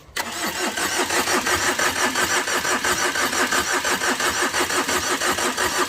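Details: Overheated Tata Vista, radiator hose knocked off in an underside impact: long six-second crank at a steady rhythmic chug never catches; owner says it has compression but suspects a blown gasket and a ruined engine.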